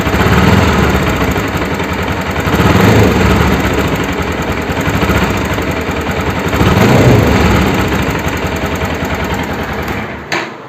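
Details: Bajaj Pulsar NS200 engine running with an uneven, rough knocking clatter of about three to four beats a second that rises and falls with revs; abnormal engine noise, cause unclear.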